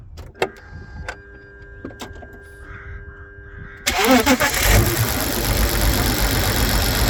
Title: 2002 BMW Z3 2.2i Cold Start Misfire